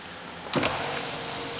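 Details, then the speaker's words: 1993 Oldsmobile Cutlass, new battery: short smooth electric whir as power window travels, no grinding, clicking or straining. Normal power window operation. "Goes all the way down and up. Oops, wrong window. See, that one works."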